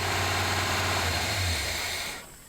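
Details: 1978 Chevy C10 running after 4–5 gallons of fresh gas were added. A low, steady V8 rumble at idle for about two seconds, then it is switched off. Normal idle.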